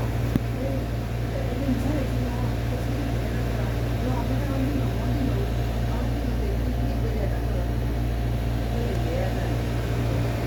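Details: Hotel room air conditioner: a loud, constant low hum with a faint pulsing about twice a second that never lets up. The unit is abnormally noisy; the cause is unknown.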